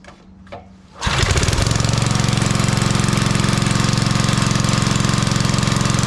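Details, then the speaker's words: Old Briggs 5 hp single-cylinder on homemade wood splitter, run without air cleaner, little fuel added: catches after a second, then steady beat with faint rise and fall; owner suspects it's running out of fuel. "It's possible you ain't sucking it all down because I didn't put much in. Plus I lost some with the vacuum there. It almost sounds like it's running out, huh?"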